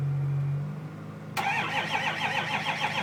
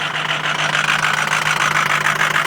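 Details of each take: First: 2005 Ford Powerstroke 6.0L diesel, cold start after about 5 hours plugged in (block heater breaker blew): steady even cranking for about eight seconds with a few flares but it never fires; hard start, cranks without catching, low battery suspected. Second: 2005 Ford Powerstroke 6.0 L diesel after a hard cold start, block heater plugged in about 5 hours: steady, even idle with constant low hum, no misses or knocks; running smoothly once started with extra battery charge.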